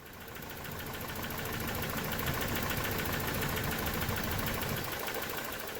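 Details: 1993 Toyota pickup 22RE with a surging idle, no vacuum leaks found: with the idle air control bypass blocked, the idle runs even and steady without hunting, so the IAC valve is faulty, its coolant passage plugged; fixed by replacing it.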